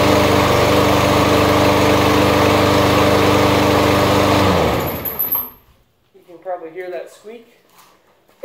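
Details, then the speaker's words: New, very light walk-behind lawnmower, run only three times: engine chugs evenly, then cuts out, and a brief thin high squeak sounds as the blade spins down; owner suspects the brake, since it happens only at shutoff. "think it has something to do with the brake, because it only happens when I turn it off."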